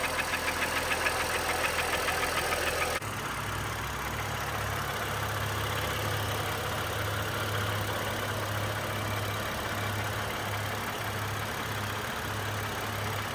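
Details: Honda Pilot after short block replacement (cylinder scoring and gouging found by borescope after knocking noise and high aluminum and iron in oil analysis): smooth, even idle with a steady low hum and no knocking or ticking.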